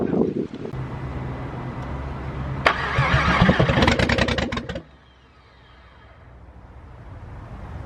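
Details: VR6 with fuel pressure confirmed, cranked with the intake part detached. The starter churns steadily and a few uneven firing bursts nearly take hold, then it dies without starting. It gets further with the intake piece off than with it fitted.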